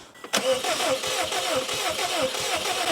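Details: Car that has sat outside about two years, cranking: rapid, steady starter churn for about three seconds with occasional firing pulses, never catching; owner believes starting fluid would fire it. Cause not confirmed.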